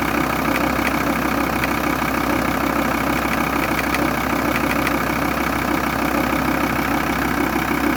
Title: VW T4 2,5 TDI AUF Motorgeräusche Vakuumpumpe Unterdruckpumpe defekt